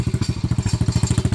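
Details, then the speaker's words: Venom Madix 125 quad (PZ20 carb) at idle: deep thumping about ten a second with light metallic clatter on each beat, loose exhaust rattling badly; owner unsure it can be tightened, considers wrapping tape; also a slight miss, valves to be checked later. "This exhaust fucking rattles like a whore, and I don't know if there's a way that I can like tighten it up or not. You know, I could always wrap some tape around it probably, but yeah, she rattles like crazy."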